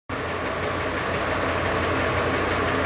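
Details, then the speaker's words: Dodge V10 truck at operating temperature, idling in neutral: steady idle with an uneven clacking knock about three a second; cause of knock not yet found. "So Dodge V10, and this truck has been knocking and clacking."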